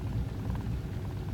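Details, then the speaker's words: 1999 Pontiac Grand Am 3.4 V6 low idle issue, drives fine: low uneven idle rumble with jerky, stuttering, surging beat; rough idle, fuel pressure regulator replacement planned, cause not confirmed. "I hear how it's kind of like kind of not real smooth there that's put in there that's kind of like stop like stuttering"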